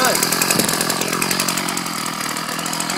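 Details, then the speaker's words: Ryobi 790r string trimmer, newly fixed after months: high, buzzy two-stroke drone holding steady speed without stumbles or cutting out; normal running. "these things move around a lot but uh it's running good as you can see"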